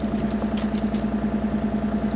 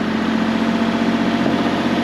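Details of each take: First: Mini-excavator diesel started before repair while running on gasoline mixed into its diesel fuel: steady lumpy idle, roughly 200 pulses a minute, somewhat harsh and uneven; rough idle from gasoline-contaminated diesel. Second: Mini-excavator diesel engine restarted on diesel after running gas through the injectors: steady, smooth unbroken idle rumble, no knocks or misses, smoother than on gas.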